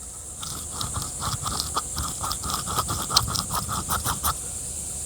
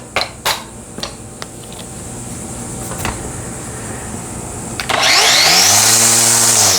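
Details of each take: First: Black+Decker 20V string trimmer with grinding and heavy wobble: motor and hub turned by hand near the microphone give a dry gritty scrape catching in uneven pulses; worn top bearing. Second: Black+Decker string trimmer after replacing gear and spindle to cure a grinding bearing and wobble: spins up to a clean high whir, holds and winds down smoothly with no grinding or rattle. Normal running.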